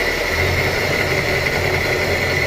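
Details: Electric motor driving a fan blade: steady hum with a rough, gritty rush and a thin high ring under fan load, silent when run without the fan; the bearings are worn and will be replaced.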